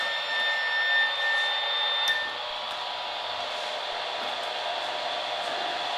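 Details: Radio near a modified sine wave inverter run from a 12 V car battery: steady hissing, buzzy static with faint whistling tones, interference absent with a true sine wave inverter.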